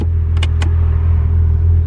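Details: 1991 Toyota Supra Mk3 7M-GE non-turbo after alternator replacement and belt tensioning: smooth, steady idle with even firing, no belt squeal or ticking; battery and brake warning lights now off.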